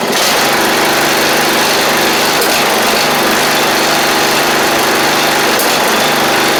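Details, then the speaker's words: 7-year-old MTD Murray riding mower single-cylinder engine after fuel flow check, fuel of unknown age: steady, even running at fast idle, no misfire, surging or knocking; healthy. "that's good seems like everything wants to work so that's good"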